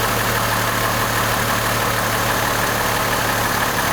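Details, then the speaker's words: 2002 Chevrolet Trailblazer after a misfire repair with a new part: steady, even idle with a low hum, no stumble or skip, much smoother than before. Normal idle. "you can tell on video but this cars running great sounds so much better than it did"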